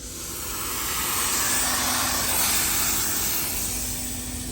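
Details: Steady, loud airy hiss that swells and holds for seconds with a faint whistle on top: nitrogen pushed into the vehicle's AC system after a big vacuum leak was found escapes from the leak, heard during leak search.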